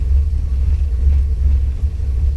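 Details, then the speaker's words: 1987 Toyota Corolla Levin AE86, 16v 4AG, Megasquirt sequential fuel and ignition, coil-on-plug, HKS 272 cams, stock bottom end: deep choppy loping idle around 1100 rpm, normal for the hot cam. "I think 1100 rpm is a really good rpm range for this car it has a a chance 272 cam"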